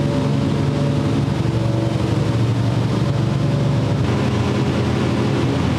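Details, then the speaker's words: Old-school small block Chevy with mechanical 8-stack individual throttle injection in a Fiat drag car: loud lumpy V8 idle, cylinders cutting out when idled lower; owner suspects throttle blades unevenly set in their bores, plugs flooding on one side. "I'm going to start checking some other stuff cuz I'm getting tired of trying to make this to idle idle down lower cuz it keeps on wanting to shut off cylinders as I get it the lower so it means each individual blade is just like slightly off in the bore or something"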